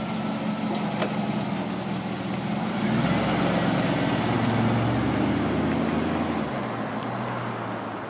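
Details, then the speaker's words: 2006 Pontiac GTO with LS2 405 hp V8 and 4L65E automatic, driven slowly around a parking lot: deep V8 note climbs then eases off smoothly with no knocks or whines. Normal running. "So what I'd like to do now is I'll hop in the GTO, start it, you'll hear it run, I'll just drive it around the parking lot a little bit just so you get an idea of what it looks like moving under its own power, and we'll come back and talk just a couple more minutes."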